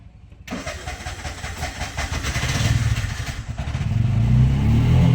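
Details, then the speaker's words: Bajaj CNG BS6 single-plug engine: catches after cranking and chugs unevenly about four beats a second, won't hold idle and keeps shutting off. "So ಈ ಗಾಡಿಯಲ್ಲಿ ಏನು complaint ಅಂದರೆ ನೋಡಿ, ಗಾಡಿ start ಆಗುತ್ತೆ, ಹೈಡ್ಲಿಂಗ್ ನಿಲ್ಲಲ್ಲ."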